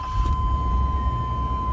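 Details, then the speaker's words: Chevrolet K5 squarebody Blazer 4x4 with 5.7 V8, warm after morning driving in ~95°F heat: deep, even idle rumble with moderate exhaust note, no knocks or misses, not obnoxiously loud; healthy. "It's not obnoxiously loud. Good little rumble."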